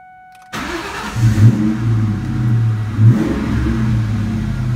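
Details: 2002 Ford Mustang GT after fixing its anti-theft blinking no-start by splicing and waterproofing a grounding wire: the engine cranks briefly, catches and settles into a steady low idle with small blips, starting normally.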